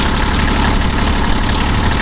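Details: 1981 Kubota B6100 four-wheel-drive diesel tractor, original owner maintenance records, at 32 degrees after snow; even idle with steady low clatter holding rhythm under hydraulic load, no knocks or misses, normal idle.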